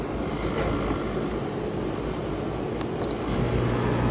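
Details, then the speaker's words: PTAC HVAC unit running with a heavy, uneven low rumble and loose thumping because the blower wheel is broken and displaced from the motor, bouncing as it turns; the wheel needs replacing. "as you can see the glower wheel is bouncing so I can tell it's broken I think that's what's causing the noise see the lower wheel is broken so we got to replace that"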